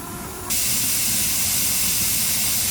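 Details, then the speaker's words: Pressure canner processing boneless chicken thighs, just under 5 psi at about 210°F: steady, loud hiss of steam coming on suddenly and holding even; normal venting before setting the weight. "So now you can really hear that steam coming out now, and you can see where our temperature is."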